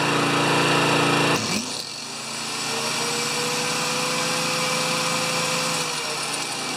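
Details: Older Honda EX1000 generator that only runs on choke, with the governor turned up slightly and no load: steady, even buzz after a brief dip, speed settling without hunting; runs normally, though it does not drop back to idle unloaded.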